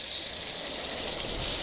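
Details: 2000 Dodge Dakota, old idler pulley spun by hand off the engine: a dry, gritty rasp with faint rough pulsing, unlike the smooth new one, pointing to a worn idler pulley bearing.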